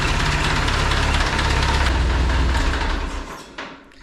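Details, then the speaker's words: Restored 1950 Ford 8N tractor, exhaust manifold gasket replaced: catches quickly and settles into a steady, evenly firing low putter. Normal start and idle. "so it fires right up."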